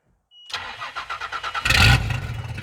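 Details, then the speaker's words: Car out of gear, with the battery connected: the starter churns in quick even pulses, then the engine fires with a short roar and sags back. It catches briefly but won't keep running. "Listen to that. Listen to that. She wants to run. All right, here we go. Let's try that again."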